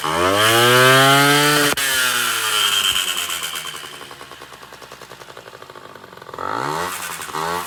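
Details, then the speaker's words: Honda Dio 34 scooter after 30–40 km ride: engine screams under throttle with harsh metallic chatter; variator and belt fine, piston had play; failed small-end needle bearing, replaced. "вот хочу поделиться опытом вчера ездил катался на мопеде километров 30-40 проехал и двигатель ни с того ни с сего за прям газу даешь он прям орёт стрекочет Я думал блин то ли глушитель пробился то ли что"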